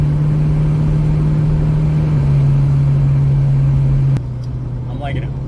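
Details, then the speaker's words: Cutlass V8 on a cool October test drive after MSD HEI coil, module, Moroso wires and new plugs: deep, even note pulling smoothly up through the gears, no skips, pops or stumbles; slight pre-ignition noted, probably timing. "all right guys so we're very impressed we're very pleased with the results here we've been driving around for about I don't know 15 minutes now and this thing just beautiful"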